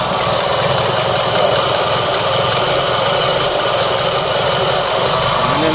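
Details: Proton Wira 1.5 at idle: rough gritty constant drone from the engine bay, checked by ear at the engine; damaged alternator bearing.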